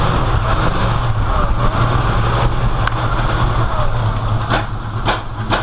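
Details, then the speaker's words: V8 running rich and smoking heavily: rough, lumpy idle with sharp pops from the tailpipes near the end; owner suspects ignition timing is off 180 degrees, unconfirmed. "Hear the backfiring? That's why I think it's timing. I think it's off 180 degrees."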